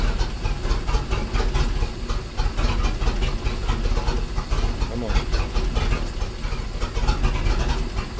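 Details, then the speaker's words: Manta Ray boat with a MerCruiser 4.3 after replacing the fuel line and filter and the broken tee on the oil pressure sensor/safety cutoff switch: deep, even low thrum with no knocks or misses; running good. "Sounds like it's running good. Alright, well, with that sounding so good, I'm gonna call this video a win."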